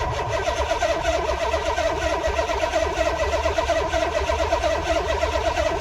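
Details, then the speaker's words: SN95 Mustang with a swapped Gen 3/4 6.0 LS (stage 2 cam, 243 heads) cranked with the key, fuel pump unplugged, to check oil pressure; quick, even starter churn, never firing; cranks but does not start, fuel pump disconnected. "just gonna turn it over with the key fuel pump is unplugged let's just see what happens here"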